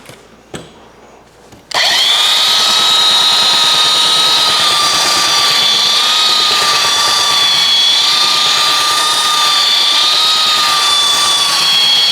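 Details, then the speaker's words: Roughly 65-year-old all-metal Craftsman belt sander, rescued, greased, lubricated and fitted with a new adjusted belt, sanding a 2x6; spins up and holds a steady even whine with no knocks, rattles or speed dips. Running healthy under load. "it look at that I am extremely impressed thing really works good for an old piece of Tu here"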